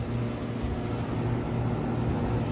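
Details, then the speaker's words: HVAC unit compressor running normally with a steady low hum and an even drone, no knocks or rattles. This follows rewiring the thermostat cooling circuit on a unit that had been set up for heat only. "I hear my compressor"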